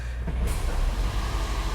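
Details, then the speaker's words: 2nd-generation Toyota Prius, 161,940 miles, starting after a faulty relay was replaced and codes cleared, no warning lights; low steady rumble comes up and holds even with no stumble or rattle, normal engine start after repair. "Engine just came on. Well, I'm gonna call this one fixed."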